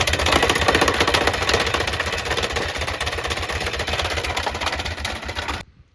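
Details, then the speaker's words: 2014 Kawasaki Mule 4010 that stopped driving on hills: rough uneven clatter about four knocks a second over idle from clutch and belt area; likely broken drive belt, possible clutch damage. "So obviously that sounds pretty bad. To me, it sounds like it's coming from the clutch and belt area. So it's likely, since it doesn't drive, the belt is broken."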